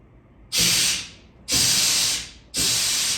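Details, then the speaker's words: 1984 Chevrolet Suburban fuel line, tested by blowing air through it during fuel-system repair: three sharp hissing bursts under a second each pass straight through, smelling of bad gas. The line has no blockages. "well did you hear it did you I did and I can also smell it it smells pretty pretty bad so I got no blockages in my line"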